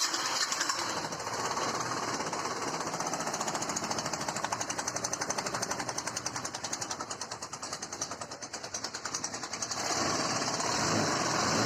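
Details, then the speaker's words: Hero Duet scooter with 27,539 km, idling with a loud, rapid metallic "kat-kat" clatter knocking in the engine; engine to be removed and fully opened. "तो आप लोगों ने सुना इसमें कितनी भयंकर आवाज आ रही है बहुत ज्यादा इसके इंजन में आवाज आ रही है cut cut cut cut cut cut cut cut"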